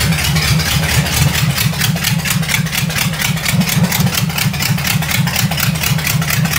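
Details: Vintage nailhead V8 rail dragster, carburetor floats fixed after earlier poor running and a non-working accelerator pump, started without choke: catches and settles into a lumpy, even beat around two pulses a second, running clean with no misses.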